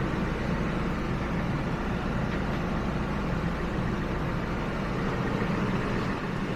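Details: 2000 Ford F-150 at 331,000 miles, just after replacing the original fuel pump: steady, even low rumble at idle with no misses, knocks or surging; runs smoothly, though a leak was found at a heater attachment point.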